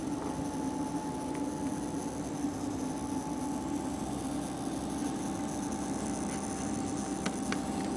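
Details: MCP655 water pump in a PC CPU cooling loop, recorded close to the pump with the side panel open. A faint, constant, high-pitched electrical whine and hum sits over the quiet run, never changing pitch; cause unknown.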